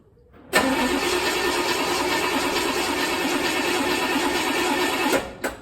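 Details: 1964 Chevelle, not run in a while: starter spins the engine evenly about four and a half seconds without catching, after pumping the throttle; fuel has not yet reached the carburettor, and the header is off.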